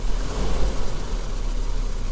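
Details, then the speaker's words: 1984 Volvo 760 Turbo after replacing fuel injectors, warming up after a hard start: low idle with slightly uneven pulse settling into an even run, much rounder and smoother with no more misfires, maybe idle still needs tweak; normal idle. "Que c'est bien plus rond, bien plus fluide, on n'a plus de raté."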